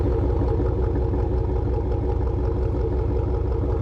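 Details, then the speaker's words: 1999 Dodge Ram 5.9L V8 with almost 300,000 miles, after replacing a broken harmonic balancer whose spinning ring caused heavy vibration: a deep, even idle with a steady low beat and no rattles or shakes; normal idle. "That's what a truck's supposed to sound like. Up here I got no rattles, no shakes. This thing is running smooth as can be."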